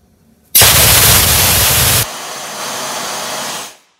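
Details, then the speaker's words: Workshop air compressor, large tank full of pressure, tap opened on first test: sharp, loud rush of air that drops after about a second and a half to a steadier hiss, showing the tank holds plenty of air. "should be pretty loud because it's a big old tank and it's full of a lot of pressure so let's see what happens"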